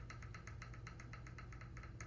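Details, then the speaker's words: Model vehicle during worn-parts replacement, motor mount adjusted for gear mesh: light, crisp even ticking over a soft motor hum; a little clicking, gear mesh set just right. "Just the right amount."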